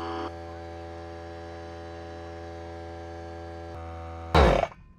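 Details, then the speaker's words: Harbor Freight Central Pneumatic 95275 pancake compressor after the discharge tube repair, reaching 103–110 psi on a gauge reading about 20 psi high. Steady motor drone with no knock, then a sharp rush of air; it runs normally. "okay well it works now this gauge went past 100 pounds it says 103-110"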